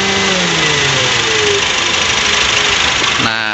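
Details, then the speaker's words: 2019 Honda Brio with a complaint of AC not cooling, engine idling with the AC on: a smooth, steady, even hum from the engaged, turning compressor with no rattle or squeal; compressor and pressures normal. "Yap kita bisa lihat kompresornya itu temen member Soalnya jalan nah jadi yang bawa itu kompresor Iya muter ya sama servisnya dan untuknya juga normal"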